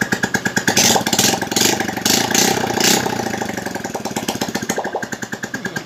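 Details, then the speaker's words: Honda Absolute Revo with a freshly reassembled engine and no muffler fitted yet: quick, even open-pipe popping at about three beats a second, steady and clean with no knock. Smooth normal idle. "Kita coba suaranya adem lagi seperti baru."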